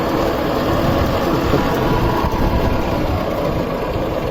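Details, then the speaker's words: Belt-driven warehouse exhaust fan with old motor, before bearing and motor replacement: constant rough whirring rumble with gritty, uneven texture over the airflow; worn blower bearings. "i think i turned the know if you can hear that power well it's kind of a lot of bearing"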